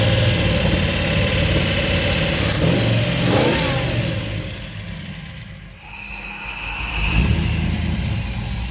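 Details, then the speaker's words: 1950 Cadillac hearse converted to a motorhome, cold start at room temperature after sitting a couple of days, distributor moved and timing unknown: it seemed to miss on one side at idle, but revs up cleanly, firing on all cylinders. "it's definitely hitting on all the holes when I rev it up"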